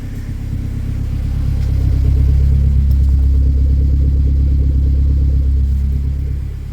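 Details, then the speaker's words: K24-swapped Mazda RX8 with full 3-inch exhaust, untuned, just fired up in neutral: loud, low, steady exhaust drone at idle, swelling slightly then holding even, no misses or tapping; normal healthy idle. "Full 3-in exhaust."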